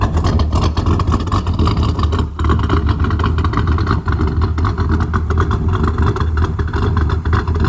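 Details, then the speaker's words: LT1 V8 with a big camshaft, speed density tune without mass airflow sensor, early tuning attempt: deep uneven idle with choppy irregular lope, hard to hold low idle rpm; lumpy idle from large-duration cam, fuel pressure good. "okay I got the idle going a little better I can't let it go too low it's hard to run a big cam at a low idle"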